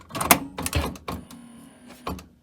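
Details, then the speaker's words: Carver TD-1700 cassette deck (Aiwa-built), closing the tape door with the anti-modulation tape stabilization working: a few quick mechanical clicks and a short motor whir as the take-up reel winds the tape snug, then quiet; normal take-up. "You saw the take-up reel spin there? That's because it was taking up the tape tension. These do make noise when you first close the tape door, so that is normal."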